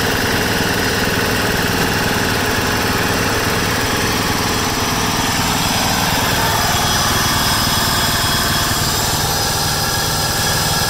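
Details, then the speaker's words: 1996 John Deere LX176 lawn tractor, Kawasaki single-cylinder, after sitting years on old gas, carb untouched: steady even idle with no surging or sputtering; runs fine. "Idle's pretty good. That's wide open right there. It's not surging or sputtering, so I'm pretty impressed."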